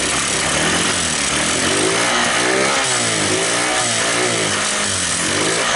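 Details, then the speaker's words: Honda scooter idle pitch wandering up and down about every second; a small spring and spacer were left out of the clutch cover: idle surging. "Oke teman-teman, jadi untuk motornya nggak bisa stabil barusan."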